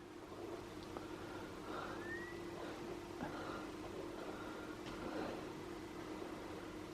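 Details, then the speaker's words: Original Xbox console bought as spares/repairs, scratched Halo disc inserted: faint whir with brief rising hum as the disc drive spins up and reads the disc normally; console turns out fully working. "I hear it spinning. Oh, hold on. Things are happening."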